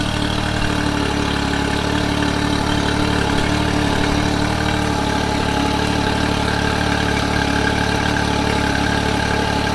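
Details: Honda BF30 outboard started after service (new thermostat and gasket, internal anode replaced), flushed with water to check for leaks; steady, even burble at about four beats a second, smooth and unbroken; healthy idle.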